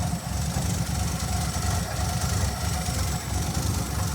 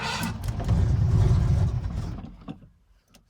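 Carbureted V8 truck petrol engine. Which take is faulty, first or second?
second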